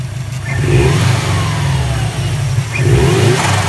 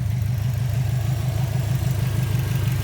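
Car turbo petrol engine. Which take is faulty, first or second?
first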